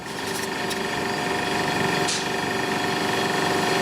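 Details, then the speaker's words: Old refrigerator salvaged from an abandoned shack: the compressor runs with a steady low hum and a fast even pulse, getting quieter as it goes. Faint refrigerant hiss is heard as it starts getting cold, so it is working normally. "oh they're starting to get cold like a heat refrigerant start boiling off in there it's just definitely working"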